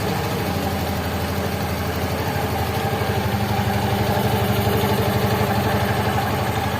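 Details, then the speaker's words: Yamaha Mio fuel-injected scooter, after fuel pump replacement restored fuel pressure to 300–almost 400 kPa: a steady even putter about four beats a second, no misses or rattles. It starts, idles cleanly and is responsive. "oke untuk seber motornya ini sudah menyala Ya sudah menyala dan dan responsif ya"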